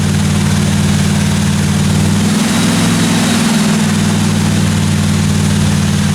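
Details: 1957 Chevy 210 project car, carbureted engine during roughly 20-minute cam break-in run: steady, even low rumble with smooth unbroken beat, no ticking, knocking or other weird noises from the valve train; normal running.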